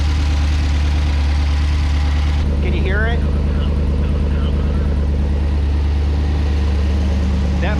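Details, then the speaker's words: V8 Corvair with Holley EFI, first start, batch fire with cam sensor off, reworked LS3 injector rail brackets: steady uneven lope with a missing beat; number one cylinder dead. "number one still not working sounds pretty good for seven cylinders though"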